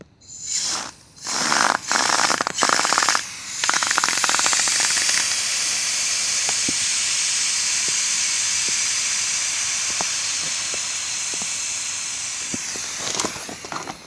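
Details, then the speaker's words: Bicycle inner tube inflated to 65 PSI maximum: a few short bursts then loud steady hiss for nearly ten seconds, gauge needle dropping; inner tube leaking fast, definitely flat, needs replacing. "Je sais pas si vous entendez le bruit, mais vite comme ça, je pense que le tailleur il est plus bon. Ça, c'est. Quand ça fait ça, c'est assez rapide."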